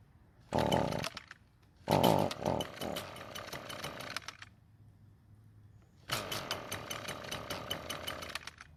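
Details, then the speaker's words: Echo two-stroke trimmer starts and runs but buzzes in sagging bursts and never reaches full revs, with heavy smoke from the muffler; the fuel mix was checked and is fine, and the owner suspects a clogged spark arrestor screen. "and as you can see and here it simply will not get to full speed a big clue as to what's wrong with it is all the smoke coming from the muffler"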